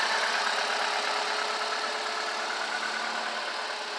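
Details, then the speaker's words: $50 auction car, just fitted with a new battery: steady, even hum with faint regular patter and no knocks or misses; quiet, smooth idle, exhaust barely audible. "really good noise through the motor. It's just running real smooth. You can barely even hear this thing running."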